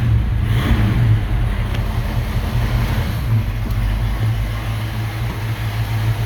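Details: 1969 Ford Mustang Mach 1 V8 just restarted after fuel pump replacement, no leaks: deep even burble at steady idle, no misses, knocks or ticks; healthy normal idle.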